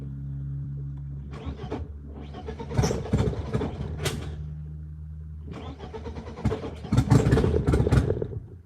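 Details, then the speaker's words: BMW E36 M42 on Microsquirt standalone ECU, repeated restarts: cranking bursts catch briefly with sharp backfire pops and stumbling revs; owner suspects too much throttle and a rich mixture. "I gotta see about that backfire. Like that's an issue. That is like a real issue."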